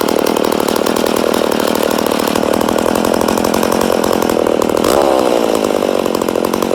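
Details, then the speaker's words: Rebuilt McCulloch Super Pro 80 chainsaw, first start after rebuild: high, buzzy two-stroke run with an unsteady, hunting note and a brief surge; owner suspects an air leak somewhere. "out oh a sounds like we got air leak definitely sounds like she got an air leak but she does sound good yeah I'd say we have an air leak somewhere"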